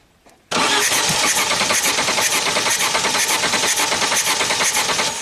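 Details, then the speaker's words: 1991 Audi 200 Turbo wagon revived after 15 years sitting, with rebuilt starter: engine catches abruptly, runs raggedly about four seconds then fades, firing on residual fuel because the fuel pump is not running; fuel pump circuit and relay to be checked. "so I think it fired for a couple seconds on fumes we're getting close"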